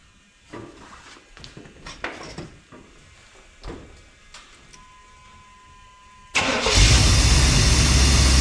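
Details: 1991 GMC Suburban with TBI V8, sitting ten years, fuel pump hotwired, first start: engine catches and settles into a loud, fast, steady idle; owner suspects a missing vacuum line causes the high idle.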